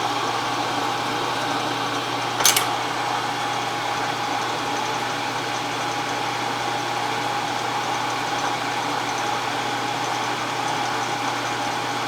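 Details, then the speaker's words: Wells Index Model 40 mill after restoration, 1 HP 1750 rpm motor, switched on just before engaging down feed: smooth, even hum at constant pitch with one brief click near the start; sounds healthy, normal running. "So, let me turn it on. Oh, it sounds good. Sounds nice."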